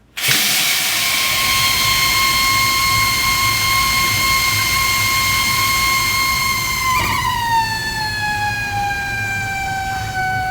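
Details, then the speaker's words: House plumbing squealing whenever water runs, here with the kitchen faucet on: loud steady high-pitched whistle over rushing water, dropping lower as flow changes; cause is the pressure reducing/control valve. "so I've learned that this type of noise issue is most often caused by this which is your pressure control valve"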